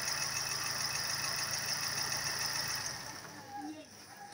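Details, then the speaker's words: Daewoo Lanos at idle: a steady light knock of about 3.5 per second, easily mistaken for engine knock, fades at shutdown. It comes from the AC compressor pulley, which has play, with the belt slapping on the pulley's free side. "الى جانب ان فيها عالي وواطي لو انت اخدت بالك ان البكره ك فيها صوت جامد وفيها رفه"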